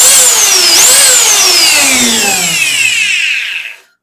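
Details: Vacuum cleaner motor after bearing and carbon brush replacement, clamped in a vise for a brief test run: high, smooth whine winding down evenly with no grinding, rattle or rough patches; healthy motor with good bearing.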